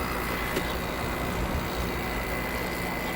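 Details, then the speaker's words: R410 rotary compressor of a heat pump heating water to a little over 130°F, running about 1 kW output after an earlier cut-out. Even, steady rumble with thin high tone, no knock or rattle; normal running. "i think it might be sounding pretty normal now you know i am heating water up to a little over 130 degrees so r410 rotary compressor certainly likes that"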